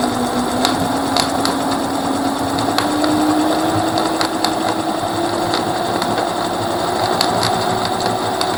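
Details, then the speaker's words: Rear hub motor of a Mercane Wide Wheel electric scooter: whining tone climbs with wheel speed, sharp clicks about once a second; something appears to have come off inside and is spinning around, cause unconfirmed. "I don't know what it is but it is sound like this little boot that's losing their necks just spinning around but it just sounds terrible"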